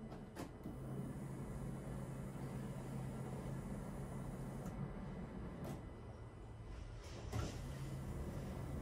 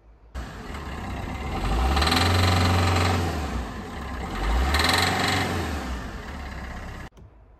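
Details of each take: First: Peugeot Bipper 1.3 diesel, after fuel filter change and injector refit: ignition cycled so the electric fuel pump primes the filter; a low steady hum stops, then restarts after a click, normal priming. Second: Peugeot Bipper 1.3 diesel on cold start: hard, rapid knock growing louder with two rev blips; engine rattle when cold, diagnosed as diesel knock via leak-off test; fault code present, diesel treatment reportedly improved it.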